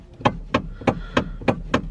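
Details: Hyundai steering column knocking with sharp, hollow knocks about three times a second; a common fault, solved.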